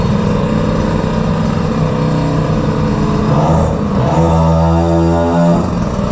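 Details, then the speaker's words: Peugeot 103 moped with air-cooled 70cc Malossi cylinder, 16 carburetor with 86 jet, airbox, stock gearing, just started: fast, buzzy two-stroke idle holding high and creeping up; idle set a little high. "Starts up really nice. It's idling a little high."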